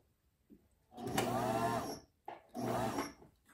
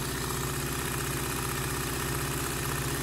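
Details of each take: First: Singer Simple front-load bobbin sewing machine before service runs in uneven, labored bursts with stops; rough and strained, motor overworking and smelling hot, a common fault that leads to lock-up and can burn out the motor. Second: Singer Simple front-load-bobbin sewing machine during service, after adding lubricant to the bushings and running it: even, quick low mechanical thrum at constant speed, no catching, squeal or clatter; running freely.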